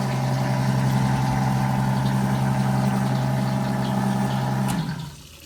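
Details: Rebuilt 90-year-old Gilbarco Model 80 (GMB 80) gas pump: steady, even low hum with constant pitch, no knocks or rattles, then it winds down and stops; the electric pump motor runs normally.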